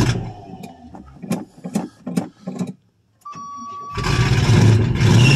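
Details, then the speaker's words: 1985 Chevrolet Suburban, cold start in snow after a month sitting, year-old fuel: cranking bursts then a loud, ragged open-pipe idle missing on cylinders, no exhaust system fitted, smoking a lot. "there we go she's loud ain't no exhaust on her other than just put a toaw r underneath the vehicle man you got smoked a lot"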